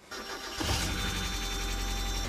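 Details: Mazda with a replaced clutch (old clutch slipped until the car would not move) starts after reassembly: brief crank, catches quickly and settles into a smooth, steady idle; starts and runs normally.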